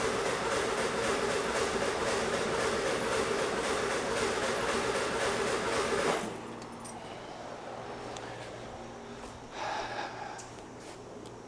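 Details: 1976 VW Super Beetle, carburetor issue, with a backfire history: steady rhythmic starter cranking around four turns a second for six seconds that never catches; engine cranks but won't fire yet.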